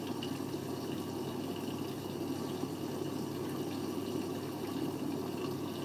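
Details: Siemens 9 kg washing machine, Eco 40-60 with an 8.35 kg full load: steady rushing and trickling water through the i-Dos dispenser with no pump strain or rattle; normal fill.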